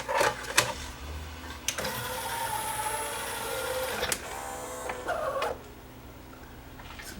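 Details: Yamaha CDC-745 CD player that won't play or read discs: irregular small ticks and whirring bursts as the laser lifts and keeps hunting for focus. The pickup was not all the way forward, and the cause is a cracked sled motor gear.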